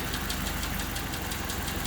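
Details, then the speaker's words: 1990 Honda Civic Si with swapped-in D16Y8 engine, first start, check engine light code 9: uneven, lumpy idle with irregular stumbles and knocking beat, sounds horrible when it drops; owner suspects distributor or cylinder 1 crank position sensor. "But yeah, it just idles really like shit right now. So when it drops, it just sounds horrible."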